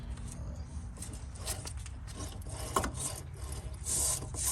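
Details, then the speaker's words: Chevy/GMC 4x4 truck wheel hub assembly, removed and turned by hand during hub and axle replacement; the owner had begun hearing a roaring noise while driving. Gritty, rasping rub with play instead of a smooth spin; rough, worn hub bearing. "this is not smooth, and it's got play in it."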